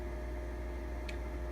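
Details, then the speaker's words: Original Xbox 1.0 (first model) at power-on: a constant, droning whir with a steady low hum. The dry cooling fan runs really loud. "the only thing so far is that when you turn on it is really really loud see I don't know if you can hear that"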